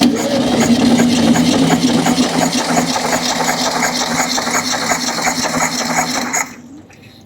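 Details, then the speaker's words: VW Beetle air-cooled engine, leaking and smoking, compression test before a planned reseal: steady starter cranking with an even chug about three beats a second, then stops; one cylinder reads 90 psi, borderline low compression. "all right that's about the max we're going to get out of that and that right there is 90 PSI is what it's showing right there this is on the border line are not running"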